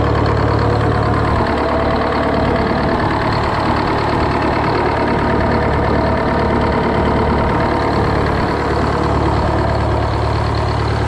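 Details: GM 4-71 two-stroke supercharged diesel, about 160 HP, probably 50–60 years old, Frick sawmill engine, just started after sitting a couple of weeks: steady, even diesel clatter and firm low drone with no misses or stumbles; normal idle.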